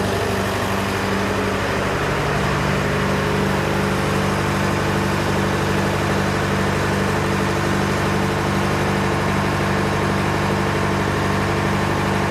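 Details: John Deere 401C diesel idling in neutral with a lumpy, uneven beat about two pulses a second; cylinders one to three hot to the touch, number four stone cold, dead cylinder from a faulty injector. Engine also has a cracked block and suspected cylinder-liner O-ring leaks.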